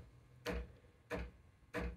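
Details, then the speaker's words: Ascaso Steel Duo PID V2 espresso machine steam wand turned on: three sharp knocks with low thump about every 0.65 s, fading as pressure presumably builds; normal startup steaming knock, not a fault. "so that knocking eventually gets fainter and fainter until presumably some pressure builds up."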